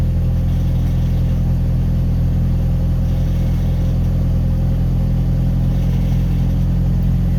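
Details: Pickup after reconnecting MAP sensor differently, previously idling rough with a code: steady even low idle, about four pulses a second, no misses.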